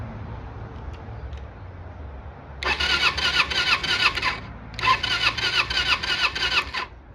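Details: Kawasaki Eliminator EL 250 being restored, spark plug out for a spark test: two bursts of fast even cranking about three beats a second with no catch; spark is weak and off the electrode, new plugs needed.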